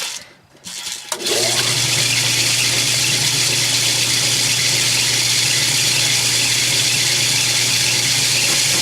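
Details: Lathe machining a steam engine cylinder with a high-speed steel tool, reground to a radius and run at a slower speed. Steady, even cutting hiss over a low spindle hum, no chatter or stalling; cutting cleanly.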